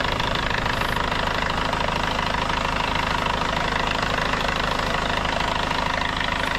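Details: Hyundai Starex CRDI diesel after low-power top overhaul with new piston rings and cylinder head gasket, run to warm up: warm idle with steady, even clatter about two beats per second, no knock standing out, now quiet; normal diesel idle.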